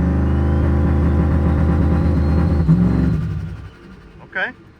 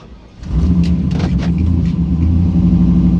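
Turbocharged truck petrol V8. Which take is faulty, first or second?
second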